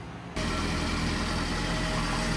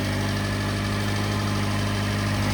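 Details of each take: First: Subaru Sambar engine first start after preventative maintenance (timing belt, water pump, seals, clutch), burning off WD40: catches and settles into steady, even idle with faint rattle from a loose shield; runs smooth, normal idle. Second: Subaru Sambar engine at first startup after preventative maintenance (water pump, timing belt, seals); steady idle with tinny buzzing rattle about three beats a second from an untied heat shield underneath; loose heat shield rattle.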